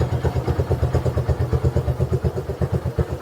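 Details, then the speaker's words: 2015 Honda CB1 125cc single, electric-started: even low thump about seven times a second with nothing else on top; normal idle. "she's idling what do you expect like wow okay very impressive"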